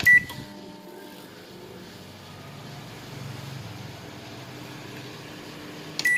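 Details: Samsung microwave after repair of its noisy magnetron cooling fan, where a tight, dry bushing was oiled: a beep, then a soft, even hum with no howl or squeal, then a closing beep. The oven now runs normally.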